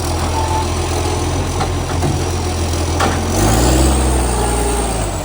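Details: Euro 5 facelift garbage truck (SL780) with leaking exhaust pipe: heavy, deep, blaring diesel idle swells harsher and extremely loud as revs rise; exhaust leak, later fixed.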